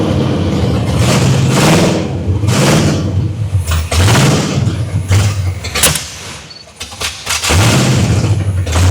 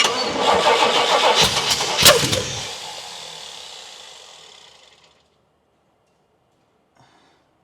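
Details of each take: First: 1979 Pontiac Trans Am V8 after crossed plug wires were fixed and the 180°-out distributor corrected: it runs and takes a few throttle blips, revs rising and falling cleanly before settling. It is running. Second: 1979 Pontiac Trans Am on a first start attempt: long, ragged cranking with sharp pops and flames, no catch, then winding down. Base ignition timing is badly out.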